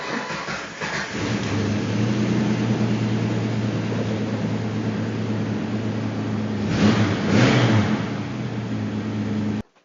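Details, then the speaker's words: Jeep LJ Rubicon, previously a non-starter, in about -15° cold after wiring repair with new battery terminals and no bypasses: catches right away and settles into a steady even idle with one clean rev; fixed, starts and runs normally. "awesome we got our running Jeep so it's all fixed it's all working great"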